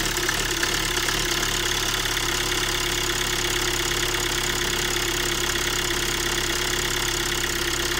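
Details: Hyundai Tucson, first cold start in the morning. Lumpy, uneven idle at about three beats per second under a busy ticking clatter. It also stuttered and lacked power on the road but passed garage diagnostics; cause not found.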